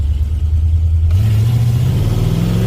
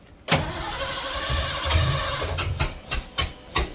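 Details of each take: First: 1986 Ford F150, 351W with Holley Sniper EFI, HyperSpark distributor and ZF5 manual, hard acceleration in second gear; deep V8 bark rising cleanly with no stumble or pop. A strong, healthy pull. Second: 1986 Ford F150, 351W with a newly fitted Holley Sniper EFI and HyperSpark distributor, first crank with low battery volts; steady cranking with a few sharp uneven pops as it tries to fire. The distributor was clocked wrong, number one set incorrectly, so the timing is off.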